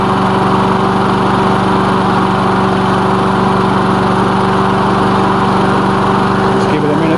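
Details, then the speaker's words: Lawn mower after diagnosis and repair, initial test run with oil checked: steady, even engine drone at constant speed with no misses, knocks or surging; running fine. "let's fire it up and see what's what see what happens as you can see it's running fine"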